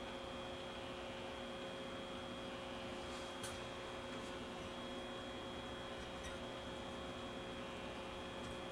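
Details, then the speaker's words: Very old pre-war RCA A20C tube table radio on the bench, tubes warmed up, pilot light on, no excessive current draw: a steady low amplifier hum and soft hiss, no station tuned in. "I can hear the amplifier humming and the light is lighting up here so we know we got power"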